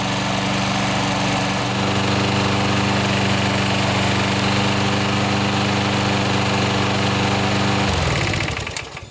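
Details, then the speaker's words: Toro SR4 mower after full service and rear drive lubrication: steady, even buzz with a clean, unbroken beat until shut off. Runs well with no smoke, only applied oils burning off; normal running. "running really good no smoke I do smell a little bit oils and stuff that I put on it burn off but no smoke"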